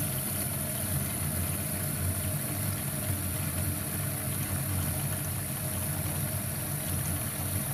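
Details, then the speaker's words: LG dishwasher after repair of the main control board for an IE error, quick program: low steady hum with water noise coming through the air guide, no clicking, grinding or beeping; normal running. "you can hear the noise also we can check through the air guide yes water taking through the air guide"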